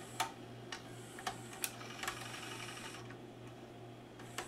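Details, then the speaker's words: Magnavox ZV427MG9 DVD/VCR after replacing a shorted capacitor and transistor on the capstan motor supply, rewinding a tape with the mechanism unmounted: light crisp clicks and a soft motor whir. Some noise is from the capstan motor touching the circuit board; working perfectly. "so the sound you're hearing is cuz I don't have the mechanism mounted if it's mounted then it's gonna lift up just a little bit like that because the cat's head motor is actually touching the circuit board right now"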